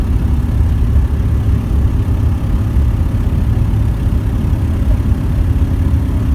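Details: VW T4 engine under acceleration; steady low drone rising slightly under load with a rough uneven undertone but no clear knock, an abnormal weird noise of unclear cause.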